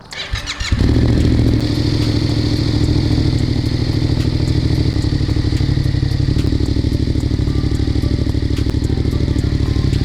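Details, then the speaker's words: Yamaha MT-07 (FZ-07) at idle just after installing a Ransoto/Anodizing aftermarket exhaust, checked by hand at the headers: deep, even, throbbing idle, sounds much better, no ticking or puffing, no exhaust leaks; normal. "Definitely sounds a lot better. There's no leaks, so we should be good to go."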